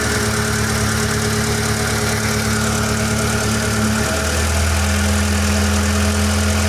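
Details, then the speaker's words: 1993–96 Lancer GLXi after replacing distributor cap and high-tension wires to fix hesitation and popping: even clean engine note rising smoothly with revs, no popping or misfire; repair successful. "Ultimate test kung makawala yung putok-putok. Fully mawala na yung putok-putok."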